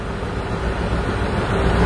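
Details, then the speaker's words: 2002 Ford, rough idle/hesitation diagnosis: fuel trims swing far negative then back positive on a huge vacuum leak, O2 sensors pegged lean and unable to correct; low, uneven, stumbling engine rumble from the leak. "the fuel trims are going really negative on a huge vacuum leak now back up positive again you can hear the effect on the engine"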